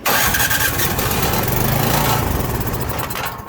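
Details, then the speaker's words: Craftsman snow blower, Powermore engine with Huayi carburetor, electric start, spark and oil good: runs smooth for a few seconds on carb cleaner sprayed in bypassing the carburetor, then fades; carburetor fuel-delivery fault. "Seems to run just perfect if it's getting fuel. So we've obviously got a carburetor issue here."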